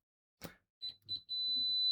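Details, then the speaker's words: Siglent SDM3045X bench multimeter continuity test with original stock test leads: high tone stutters in two broken chirps before settling to a steady beep; poor lead contact makes the response slow and intermittent. "we can see that it's not quite what we expected. So I have never used these original leads that came with the device, but I've used some cheap ones that I bought."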